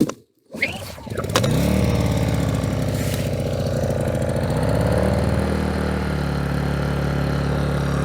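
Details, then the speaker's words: Aivolt 1600 W inverter generator, 60 cc 4-stroke OHV, fresh oil, non-ethanol gasoline, choke on, no priming, microphone near the exhaust. It starts on one easy pull and settles into a smooth, steady low hum. Normal cold start and idle. "All right, that was extremely easy. It was one pull. So I didn't pull hard. I didn't do any priming. I didn't do anything. One pull and this thing started up."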